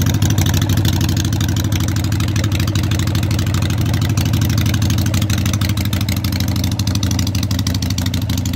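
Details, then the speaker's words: 883 Street Tracker custom build, initial start-up with newly mounted loud exhaust pipes and modified crossover bracket: loud, lumpy V-twin beat, steady and even; runs great. "ready for the initial start up actually you can tell by the smoke and I already started it up but it runs great so let's hear it"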